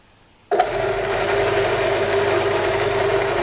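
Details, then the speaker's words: Cheap Chinese benchtop drill press with a recut spindle pulley, guard closed, runs with a steady hum and a light, uneven rattle, likely the belt slapping the plastic pulley. The spindle bearings sound quiet, and the owner thinks the spindle pulley needs replacing. "I mean it's a little better with the guard close but I'm still not over excited about how that [Music] sounds"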